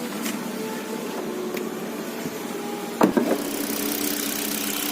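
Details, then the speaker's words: 2019 Nissan Livina VE automatic, 1500 cc 104 PS petrol engine, started with brake pressed, hood open, lights on; quiet smooth idle with faint steady hum and one brief handling clunk; runs evenly, healthy. "Kita dengarkan suara mesin dan lihat lampu-lampunya."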